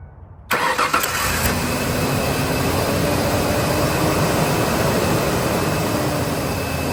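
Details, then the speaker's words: 2003 Ford Ranger started after plugs and coils were refitted: it catches fast, then gives an uneven, lumpy, loping idle shake from one low-compression cylinder misfiring. Piston is ruled out; owner suspects the valves or head, not yet confirmed. "okay now that all the spark plugs are back in and the CLS are connected I'm going to fire it up so you guys can see the shake"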